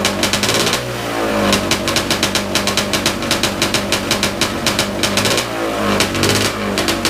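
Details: Big-bore stroker 277 two-stroke snowmobile engine, first start after rebuild with new sleeve, primed beforehand: sharp, even popping that catches quickly and revs cleanly up and down with no misfire; healthy running.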